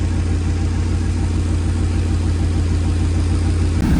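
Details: 1937 Nash coupe, 6.0 Vortec V8 on Holley Terminator, new 58 lb/hr injectors: lumpy, uneven low idle with steady shaking. One bank is dead, running rich.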